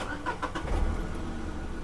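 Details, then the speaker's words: Used car at 12,000 km that has not been serviced, started in neutral with the lights on: a few starter cranks before it catches and idles. It needed two cranks, blamed on the missed servicing; the battery is said to be good. "ये हमारी गाड़ी start हो गई है। 2 बार self ली है उसने, क्योंकि इसकी सर्विसिंग नहीं हुआ, 12,000 किलोमीटर चल चुकी है इसलिए।"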